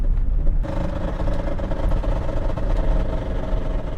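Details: V12 BMW E32 750iL on its first drive in 6 years, at about 90 with the whole car shaking; a dull mid-pitched drone and rattle over road rumble, the exhaust heat shield rubbing the driveshaft.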